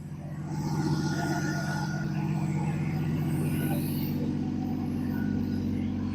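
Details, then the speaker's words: 1972 Dodge Dart Swinger with repaired exhaust manifold bolts, warming up at idle: smooth even low putter about three pulses a second, no misses or ticking; runs cleanly like a sewing machine. "But it'll sit here and run all day long like a sewing machine. I mean, just listen to that thing. Curve. Smooth. Quiet."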